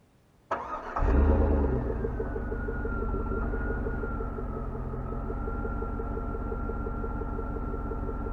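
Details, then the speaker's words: 2003 Chevy Suburban V8 with 151,214 miles, cold start: quick crank, catches and flares, then settles into a smooth, even idle with a seatbelt warning chime over it; sounds healthy. "she sounds pretty good and we're gonna go take a look up at the hood and listen to her a lot closer"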